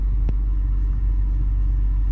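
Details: 40k-mile four-door BMW 330i salvage-auction car, first start: steady, even low rumble with no knocks, ticks or misses; settles into a smooth, healthy idle.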